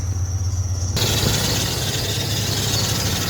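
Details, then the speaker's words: 1994 Ford F-150 with crank pulley and alternator bracket found loose, tightened just enough to drive: at idle a loud, steady high-pitched shriek cuts in abruptly; aggressive serpentine belt squeal. "yeah that's a pretty aggressive belt noise um and I'm possibly mildly concerned about it"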